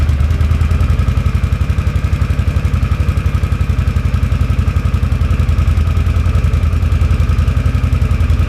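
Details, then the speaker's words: 2006 Can-Am Outlander Max 500 after installing a new EverStart AGM 12 V 270 CCA battery (old battery was the fault): even, steady single-cylinder idle thumping about four beats a second, no misses or knocks; normal idle. "so now we're going to go ahead and fire it up see how loud she gets here in a minute"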